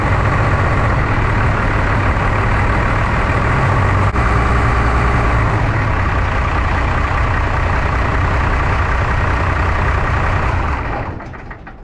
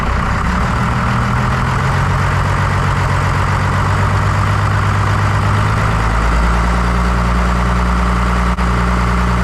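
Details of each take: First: 1993 Dodge W250 with 5.9L 12-valve Cummins diesel, just after injector replacement: heavy uneven lumpy chug about four beats a second, then dies; rough idle from air still trapped in injector lines, lines bled afterwards. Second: 1993 Dodge W250 with 5.9L 12-valve Cummins diesel, after injector replacement: deep even diesel clatter settling into a steady low rumble; smooth normal idle, diesel steaming off the exhaust.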